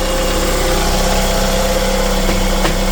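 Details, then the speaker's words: Chevrolet Lacetti after water pump replacement, belt refit and antifreeze refill: loud but even idle with a steady drone, no tapping or knocking left. Normal idle. "Ovozlar jim bo'ldi. Nima deyapti usta bu? Ovozlar yo'qoldimi?"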